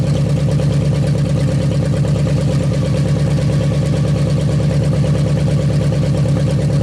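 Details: 1956 Studebaker Golden Hawk V8 idling at first start in 50 years: steady, even burble with a regular beat, no knocks or misses. Carburetor and fuel pump working; runs good, needs only minor fine tuning.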